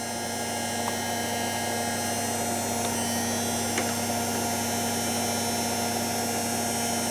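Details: Washing machine on program F, before the Zanussi XC: steady motor hum with fine crackling fizz and sharp snaps, motor brush arcing, seemingly less bad now; brush length to be checked.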